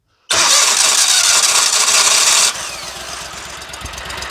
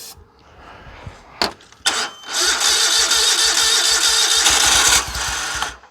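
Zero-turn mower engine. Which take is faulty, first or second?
second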